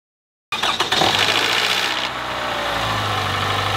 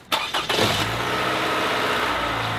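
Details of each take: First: Toyota 1AR-FE four-cylinder cold start: the starter catches, then a brief metallic rattle sounds in the first second before it settles to idle. This is a cold-start knock from the variable valve timing system. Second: Toyota 1AR-FE four-cylinder after oil change, restarted and warmed about five minutes: cranks, catches quickly, settles into steady even idle, quieter than before with much less valve clacking; normal idle.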